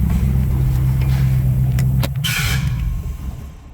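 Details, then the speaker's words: First fire-up after rewiring the harness to the truck ignition, intake parts not yet connected; deep, uneven lumpy rumble that dies away, rough running from major intake vacuum leaks. "runs sounds like poo poo because we don't have any of the stuff plugged in um for the intake and all that kind of stuff so we got major leaks and"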